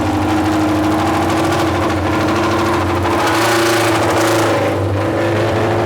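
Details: Junkyard Honda CB750F four-cylinder that sat for decades, revving after finally starting, with a starter clutch still needing attention: loud, raspy open exhaust bark rising and falling with throttle; runs, very loud exhaust.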